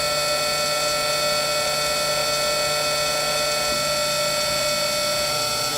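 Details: Modela PCB mill cutting out boards with a 1/32" bit, deeper cut each pass, cover on; steady high spindle whine over a light even cutting hiss, no tool chatter or squeal; normal milling, though the board was not cut fully through.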